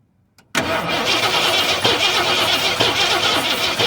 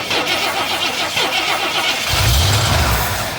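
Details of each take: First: 1973 Ford F-250 unstarted for 18 years, cranking with no spark to the plugs: steady starter churning about three turns a second for six seconds, no firing; owner plans to recheck the plug, then pull points and condenser. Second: 1973 Ford F-250 not run in 18 years, plugs reinstalled and fuel poured into the carburetor: cranking chatter, then it catches with a deep rumble for about a second and dies; spark is good, it just needs fuel.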